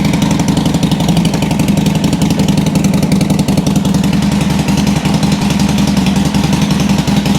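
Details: 2007 Sportster 1200 Custom on a lift, in neutral, restarted after a no-crank complaint. Steady V-twin idle with no misses, knocks or whine. Charging measured 13.4–13.5 V, so the stator and rectifier are fine; the fault was a battery lacking cold cranking amps.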